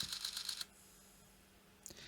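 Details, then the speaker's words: Sony D-EJ621 portable CD player after battery-corrosion repair and reassembly: quick run of about six small dry clicks as the pickup sled tries to return to its limit switch; laser not turning on, ribbon cable or gear meshing suspected. "It's making this clicking noise where it's trying to go back to its limit switch, which is here, to bring it back."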